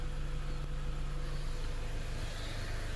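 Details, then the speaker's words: Dodge Caliber 2.0L with stalling, low power and misfire codes, idling: steady low idle with an uneven, lumpy pulse about three beats a second; misfire suspected to be the spark plug, not yet confirmed. "The code right now is the misfire, so that would be the spark plug for sure."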